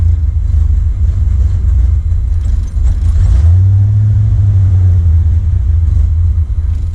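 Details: 1979 Corvette L82 V8 at idle, hood down, after smoke test found no vacuum leak: deep rumble surging and sagging unevenly, stumbling; closest to proper idle yet, cause unconfirmed; RPM gauge wrong.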